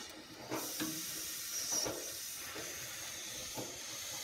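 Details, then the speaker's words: Wolfgang Puck pressure oven in pressure mode roasting a 5–6 lb chicken at 450 for 40 minutes. Steady, high, airy hiss with no rhythm; steam escaping past a vent not fully turned to seal. "So I'm going to put the mitt on, of course, and I'm going to see if I can seal this up so the sound will stop."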